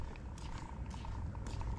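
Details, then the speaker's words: Nitro RC car with a small turbo added, idling after fuel was reduced. Soft, uneven bubbling/sizzling crackle under a faint whistle; owner suspects it is running too rich and loading up, and is leaning it out further. "let's take a little more fuel out of it and see if it uh if it peps up any but dang it you see like right now I hear bubbling"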